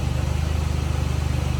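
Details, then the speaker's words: 2004 Buick LeSabre revived as a cheap work car, battery charged overnight: even low thrumming idle with steady unbroken beat, no stumble or chug; sounds healthy now, way better than before. "Sounds fucking healthy now. Way better."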